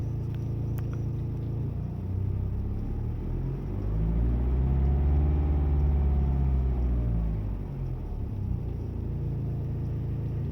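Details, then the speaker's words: BMW 5 Series N47 diesel idling smoothly and revved twice after replacing the timing chain and guides: no chain rattle, sounds healthy. "Engine after replacing the timing chain and the guides."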